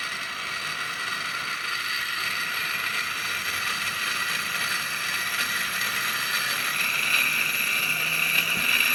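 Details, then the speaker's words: Smiths Industries Gyro Rate Unit 401 RGU-FA2 (1988) on a 117 V supply through a roughly 10 W DC-AC converter: a steady high hissing whir with a thin whistle creeping in, far too loud. The gyro is not working properly, cause unknown. "the gyro is very noisy, as you can hear. It doesn't work properly, so I think that this thing doesn't work."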